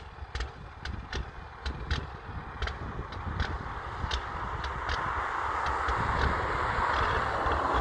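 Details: Diesel big rig pulled over idling and revving, smoking heavily, later driving off with no power: uneven ticking pulses about three a second over a low diesel rumble, then a swelling rev in wind; rough running, cause unclear.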